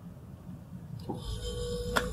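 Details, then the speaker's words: Mabe refrigerator not cooling, earlier smelled burnt: compressor wired directly with jumper cable; faint click then low steady hum as compressor starts; normal compressor start, defrost timer board suspected next. "ahí pueden oír como arranca el compresor"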